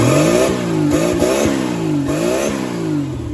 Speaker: the good news is that is a running turbo Slant six which is very exciting it sounds like a slant six through a turbo